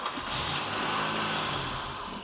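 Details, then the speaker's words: Buick LeSabre that sat for a long time and won't start: with carb cleaner sprayed into the intake as artificial fuel, the engine cranks, briefly catches and sputters, then dies. Ignition works and it is starving for fuel. "whoa there you have it so we're definitely down to fuel no doubt about it yep you got it"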